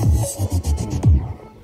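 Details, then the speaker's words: JBL Xtreme after repair of its cracked, distorted (garalgal) speaker sound: music plays clean and full with deep bass, no rattle, buzz or distortion; speaker playback now normal. "Yan yan okay na idol mga boss. Yan oh ganda ng tunog talaga ng"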